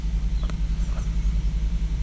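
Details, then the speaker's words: 2000–2007 Volvo V70 five-cylinder idling a few minutes after oil and filter change, warming up, no oil warning lights; low even idle pulse, steady rhythm, no ticking or knocking; healthy idle. "sounds good younger the holes there hey guys don't seem to be seeing any oil warning lights which is good here we've been running for a few minutes it seems good"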